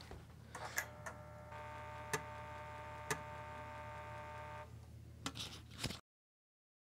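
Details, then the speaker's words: Amiga 500 floppy drive running the Amiga test kit: a few sharp clicks, then a thin steady whine about three seconds with no proper spin-up. Spindle motor suspected stuck, not confirmed. "yeah that doesn't sound good it sounds like the spindle motor is trying to spin but it might be stuck"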